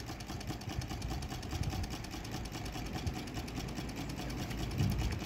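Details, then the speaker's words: Homemade solar-heated Stirling engine after improvements: steady low chugging run with an even beat and no knocks or rattles, quieter than before, though it shakes a lot and speed could still rise. Normal running. "é parece que tá parece que ficou joia Acho que valeu a pena o barulho até o motor está mais silencioso"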